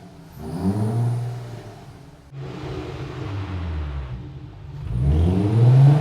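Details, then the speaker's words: 2004 VW MK4 GTI 6-speed manual, after washer repair for whine on deceleration in 3rd gear, wheel refitted: drivetrain revs and pulls smoothly with no speed-related whine; normal manual transmission operation. "Okay, I don't hear it, so now let's go test drive it and see if we hear it on the road."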